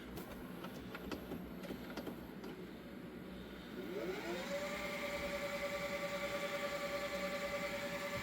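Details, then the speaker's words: Panasonic PV-V4521 VHS Hi-Fi stereo VCR doing a high-speed fast forward from stop: quiet whir rising into a steady, even high tone as the tape spins up; normal fast forward. "Stop it again, we'll do a high-speed fast forward."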